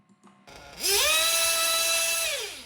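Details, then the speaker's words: 1/8-scale RC nitro engine with rich high-speed needle: screaming tone climbs quickly, then holds a flat, modest top speed before dropping; sounds lazy and doesn't rev as high. "so it's okay it just sounds a bit lazy and doesn't rev as high"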